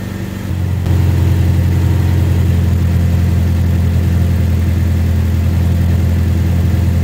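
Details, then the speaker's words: 1988 Toyota MR2 AW11, manual, warmed up 12–15 minutes, after turning the idle screw about half a turn: even but fast idle hum still over 1100 rpm that never drops back; owner doubts a vacuum leak; high idle. "I don't think it's a vacuum leak either it's still idling at over 1100. so we're gonna have to go on to further Diagnostics"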